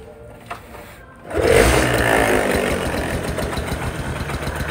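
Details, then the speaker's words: 2002 Suzuki Tornado GS 110cc, full original; after start, soft even quiet idle, only slight normal body vibration, a little noise at the head; engine judged very healthy. "Coba majuan kameramen, dengerin mesinnya, nyaris hampir tak terdengar. Hanya sedikit getaran-getaran di bodi wajar ya. Cuma kalau untuk mesin menurut gua aman banget."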